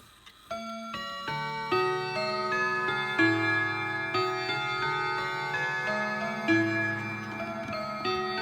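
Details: Late-1980s Hermle camel-back mantel clock with brand new Hermle 1050-020 triple-chime movement: clear, evenly spaced bell tones playing the Whittington tune with steady timing and clean decay; chime working properly.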